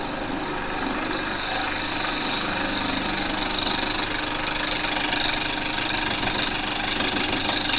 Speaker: You hear the bounce where it's not [Music] level.